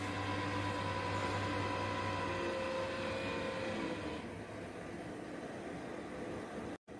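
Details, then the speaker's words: Desktop PC case fan at power-on after dust cleaning with a hair dryer: loud steady roar with droning hum and whine that eases after about four seconds; noise said to settle to normal within 1–1.5 minutes. "आप लोग 1 से 1.5 minute के बाद CPU से इस तरह का आवाज़ आना बंद हो जाएगा और नॉर्मल हो जाएगा दोस्तों सीपीयू का आवाज़। आप लोग 1 से 1.5 मिनट तक वेट कीजिए, यह आवाज़ अपने आप बंद हो जाएगा।"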